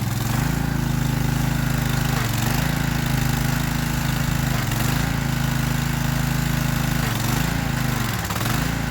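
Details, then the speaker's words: Free Troy-Bilt pressure washer small engine started to test the pump: steady drone sagging and recovering every two to three seconds, hunting surge; cause found as carburetor jets clogged with dirt, not the wand or pump; jets then cleaned. "Nasty, but we found the problem, guys. It's had nothing to do with the wand or the pump or anything. These things are clogged up, full of dirt."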